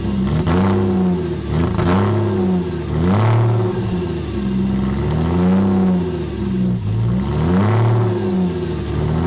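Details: 1998 Porsche Boxster after an engine swap, on a cold start: the revs swing up and down every couple of seconds and never settle, idle hunting.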